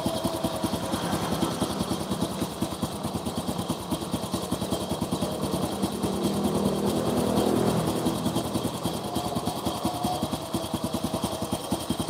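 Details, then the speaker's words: Honda Supra motorcycle after engine rebuild, spark plug found not tightened: small single-cylinder putter with uneven firing and wavering revs; unstable idle, carburettor flooding. "kadang motor itu kalau dibongkar langsung kelihatannya normal Bos tapi mbuh melak nih makanya dites jalan dulu ora stabil karbone banjir"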